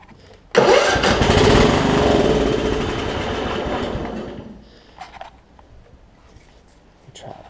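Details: Craftsman LT1750 Limited Edition riding mower with a mouse nest and questionable gas, after priming fuel: the engine bursts into life after cranking, runs a few seconds with an uneven beat, then fades and dies; hard starting.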